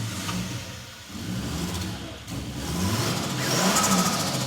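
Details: 1989 Toyota Supra MA70 with 7M-GTE engine, first start after over 6 years sitting, timing belt expired: rough-edged idle climbs into firm blips, revs rising cleanly with no knocking, turbo noises heard; normal engine revving.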